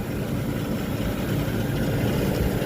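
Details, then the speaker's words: Restaurant kitchen rooftop AC unit running after fresh batteries, both contactors pulled in: steady low rumble with uneven knocking from the left-side compressor, fans also noisy; that compressor's suction line only slightly cool, weaker than the first. "So upon slightly further inspection, I don't know how well it's coming across on camera, but that compressor right there is making a knocking noise."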